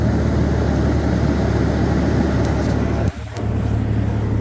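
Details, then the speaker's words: 2000 Toyota 4Runner SR5 3.4L with a flickering oil light, idle previously bumped up: cold start and idle gives a steady, even low rumble with one brief dip, no knock yet, though a bottom-end knock appears once warm. "that was not bad at all well that's very satisfying"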